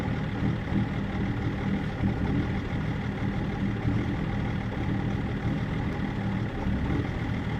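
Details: BMW E39 530d diesel, rough idle being checked with INPA values: low, lumpy idle beat that wavers instead of holding steady; runs rough, cause not obvious.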